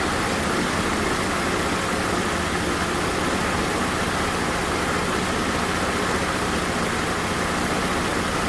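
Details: 1993 Mercedes 190E SportLine, 5-speed manual, 3.2L M104 swap, after rewiring the power lines, grounds, O2 sensor, cam advance solenoid and the HFM-to-ISC CAN line: steady, even hum with no knocks, misses or surges. It is idling normally.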